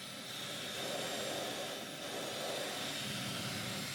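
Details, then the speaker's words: Dyson Supersonic HD03 hairdryer after removing a long hair: an even airy rush with a steady high whine that comes straight up to speed. It previously struggled on the lowest speed; now it starts normally. "seems to work absolutely perfectly though."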